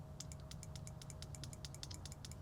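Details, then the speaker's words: Ducati Monster 900 fuel injector removed and bench-powered after WD40 spray: crisp clicks about ten a second over faint hum, injector opening cleanly; was inaudible when installed, owner now suspects fuel pressure regulator. "It is a little concerning that when it was hooked up, we couldn't hear any of this and then all of a sudden we pull it out and then it's fine."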